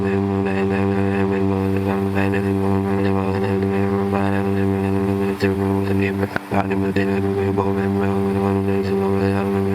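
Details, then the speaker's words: Toro lawnmower salvaged from roadside trash, started on the first pull after adding fuel: smooth, steady drone at constant speed with no misses or surging; engine running cleanly, normal running. "not bad right I mean uh I'm happy I grabbed this thing if I didn't grab it it would be the landfill right now I'm surprised it started with one pull"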